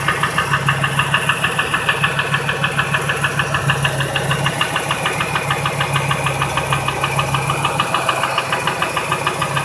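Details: 2002 Ford F-150 5.4L V8 2V (no cam phasers), idle: steady sharp knock about three per second, unchanged when each injector and coil unplugged, drowned out above 1200 rpm; truck runs fine; source undetermined.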